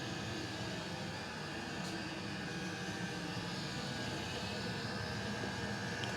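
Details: Custom hybrid water heater, Webasto water-heater body welded to a Chinese diesel heater, running at max: steady, even roar with a faint high whistle, no pulsing or popping. Exhaust about 120°, water lines 60 and 86°, radiator near 90° after about 10 minutes. Burner running cleanly at full output.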